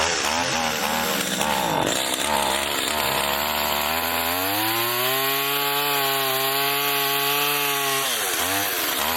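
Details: Garbage-picked STIHL two-stroke pole saw after a melted leak repair, cutting a branch: a clean note climbs smoothly and holds steady as it bites into the cut, with no misfire or bogging; runs healthy.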